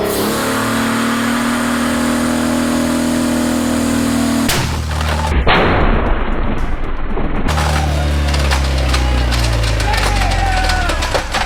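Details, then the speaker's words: V6 Dodge Challenger on a dyno with nitrous fogged into the intake through a tube; holds a steady high pull, then leans out from too much nitrous, a sudden harsh crash and revs sag and wind down, a piece broken off the block: catastrophic lean engine failure. "so what happened there is when we give the nitrous right and if you heard it pick up right and things were on the up and up and then it just really leaned out because we're feeding it more nitrous because we're directing the tube right and so then it laid over you hear it just kind of flatten out"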